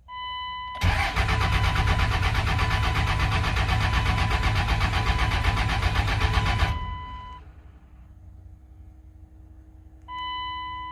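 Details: 1999 Dodge 24-valve Cummins diesel truck, first start attempt after sitting over two years, factory lift pump running: starter cranks at a steady even rate about six seconds, never catches, no smoke; cranks, no start, cause unconfirmed.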